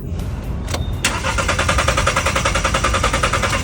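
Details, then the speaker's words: Car that has sat half a month and won't start despite owner cleaning throttle valve, oxygen sensor and fuel lines: steady starter cranking about three and a half beats a second, engine never catches; crank no start, cause not yet found. "Did you see it? This car won't start."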